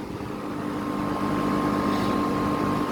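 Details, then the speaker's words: Tempstar central air conditioner outdoor unit with scroll compressor, after startup; smooth steady clean mid-pitch hum settling after start, no rattles or clunks. Normal compressor running. "Listen to that compressor though. It was a good sounding scroll, not gonna lie. This is a good unit right here."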